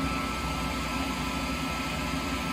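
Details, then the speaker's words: Rotary phase converter's large three-phase induction idler motor idling with its run capacitors now connected, current dropping from 34 to 20 amps per leg: smooth constant hum with an even electrical buzz and no pulsing or growl; normal idle. "and here's another cool thing once you get those run capacitors connected and the current that the motor pulls just as thin and idle goes way down"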